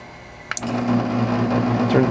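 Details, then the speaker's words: Portable air conditioner controlled by hacked $5 toy R/C car board wired to its 5V relay chip: crisp double relay click when forward button is pressed, then fan hum rises steadily as unit switches on; works only while button held. "hear the relay click. Turns on the air conditioner."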